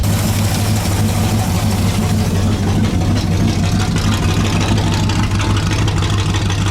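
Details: Pontiac Bonneville (Pontiac 455) after raising idle; steady smooth low V8 rumble, no knocks or misses; good oil pressure around 40 psi, 180 degrees warm, minor diaphragm leak; normal idle.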